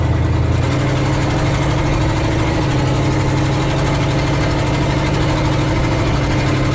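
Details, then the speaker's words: 1969 Ford F250 with a 360 V8, driving after a Motorcraft 2100 carburetor rebuild that fixed sputtering and coughing: deep, even drone with a steady low beat and no misses or knocks. Runs healthy; the accelerator spring is a bit stiff. "oh god listen to that engine I need to adjust the spring on the accelerator it's a little too too stiff"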